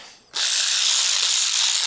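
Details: Aftermarket cordless power ratchet head, rebuilt after an internal piece was misaligned and caused catching. It now gives a smooth, even high whirr with no catching or skipping: normal running after the repair.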